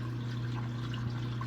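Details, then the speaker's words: Hot tub after replacing a leaking Aqua-Flo XP2 pump wet end, sub panel switched on: steady low hum with water rushing through, smooth with no knocking or grinding; circulation pump running normally. "and sounds like the pump is working"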